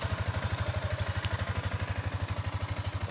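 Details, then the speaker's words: Six-month-old Yamaha Sniper 155 (variable valve) motorcycle that had a loud rattly engine from a faulty cam chain tensioner, after installing a replacement stock tensioner: steady, even low idle thump with no rattle, normal idle. "okay nakabit na natin yung tensioner testingin na lang natin Ayos na oh Yan"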